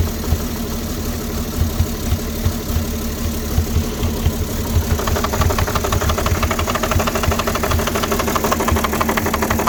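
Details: 2006 Porsche Cayenne 3.2 V6 petrol, cold just started: lumpy rough idle, uneven pulses about three per second; owner suspects misfire and vacuum leak, also throttle body problems; unconfirmed.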